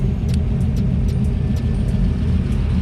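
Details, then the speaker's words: Normal idle: LS-swapped IROC-Z breathing through a 4-inch Hooker Blackheart muffler that replaced a tinny MagnaFlow; deep, steady V8 rumble with an even beat and no ticks or knocks, sounds real good. "Yeah, it sounds good, sounds real good."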